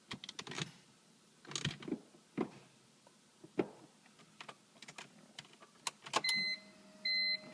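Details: 2003 BMW M3 SMG with 108k miles, after clutch slip and a loud screech: stuck in neutral and won't start despite the relay swap; engine silent, with clicks and clunks and the SMG hydraulic pump humming twice, but no crank.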